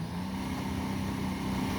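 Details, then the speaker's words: 2012 Sea-Doo Challenger with the supercharged 4-TEC engine, after the jet pump cavitation repair: a steady, strong drone at about 4,000 rpm with a full, even rush of water. Normal jet pump thrust, no cavitation surging. "we can see we're moving plenty of water what our PM is that that's about 4000 rpms so we've got a nice amount of thrust coming out of this thing"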